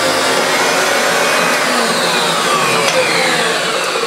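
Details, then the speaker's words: Refurbished Hoover Turbopower Autoflex U2198 with new motor bearings, belt and brush roll, cleaning carpet: steady high motor whir with brush roll rushing over carpet, even pitch, no rattles or labouring; works well, lifts carpet less than expected. "really does work well doesn't seem to lift up the carpet as much though as I thought it might"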